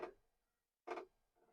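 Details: Commodore 1541 floppy disk drive, unused for decades, powered on connected to a Commodore 64: two sharp mechanical clunks about a second apart as the drive head bangs against its stop, not reading yet.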